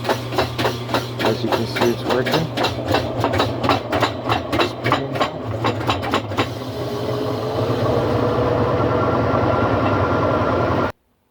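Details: GE top-load washer that only clicked on start, tested on spin with lid-switch connector bypassed: rhythmic pulsing gives way to a steady rising whoosh as the drum spins up normally.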